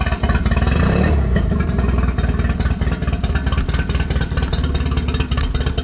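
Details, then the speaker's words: Nissan outboard after carb clean and new fuel filter, lines and fuel connector: revs with uneven, lumpy firing and some clatter over the drone. Running rough, cause not pinned down. "all right got that new fuel connector on so let's send it that was easy it's running a little rough"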